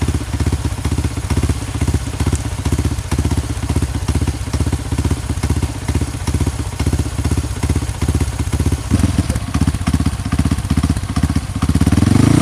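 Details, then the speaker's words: Honda CRF150 supermoto bored up to 200cc with a Juken 5 remap for idle and timing, just started. Steady, even single-cylinder thump with a short throttle rise at the end: normal idle. "Jadi CRF ini itu sudah di remote Juken 5 nya dengan settingan stasioner timing kuda."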